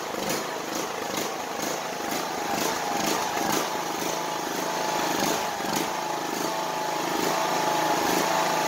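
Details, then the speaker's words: Craftsman YS4500 lawn tractor, cold start after sitting a few hours: an uneven, pulsing run with sharp bursts about twice a second steadies as the pitch rises; it runs rough cold and puffs black smoke. "okay so it made a liar out of me would you know it um little iffy but once it started you know running it it smoothed out"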